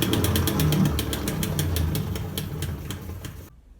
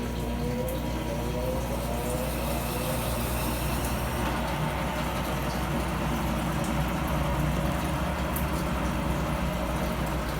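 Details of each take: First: Brastemp 15 kg washing machine with a loose agitator drive coupling: rapid sharp knocks, about four a second, over a low motor rumble as it slips on its shaft. The machine has weak spin and poor agitation and makes a loud noise. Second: Brastemp 15 kg top-load washing machine after repair; its loose agitator shaft had caused loud noise and weak spin. Now a steady low motor hum with water swishing, smooth and even, with no knocking or grinding.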